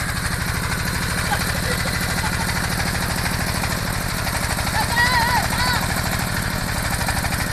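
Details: Small water pump engine chugging at steady idle with stumbling, skipped and weak firings; misfire, cause unconfirmed.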